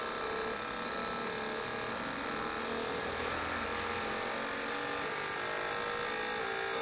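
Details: Corsa Classic 1.6 fuel injectors on a cleaning/test bench after cleaning with new seals and filter screens, previously dripping: fast, even high-pitched buzzing of injectors firing, steady with no stutter and no dripping; injectors working normally.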